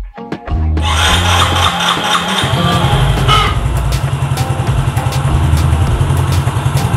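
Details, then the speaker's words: Yamaha Mio Soul GT 115 first start after fitting a new original cylinder block and piston set, injector primed by cycling the key five times; even putter idle with no ticking, only exhaust heard, normal idle. "kita perhatikan disini temen-temen ya ternyata suara dari blok silindernya ini lebih bersih ya karena memang brofinder baru demen lebih bersih Hai gak ada suara ngeletek sedikitpun nemen ya di sini yang terdengar hanya suara knalpot ya"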